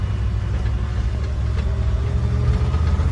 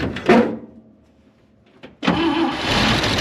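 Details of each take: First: IH 4x4 Loadstar, an old fire truck with a carburettor, being driven on the road under power: steady deep drone with no popping, spitting or misses, carb well adjusted; normal running under load. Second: IH 4x4 Loadstar, an old fire truck with a carburettor, only about 6 in of fuel in the tank and fuel dumped in by hand: it cranks, catches, runs rough about five seconds, then dies; engine stalls from fuel starvation.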